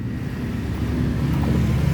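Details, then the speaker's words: Honda Beat FI scooter, MIL lit, O2 sensor wire broken: low, uneven starter churning with no firing at all. The no-start comes from the injector spraying constantly and soaking the spark plug. "bisa diperhatikan lampu mil menyala tetapi kalau misalkan kita double ini gak mau hidup"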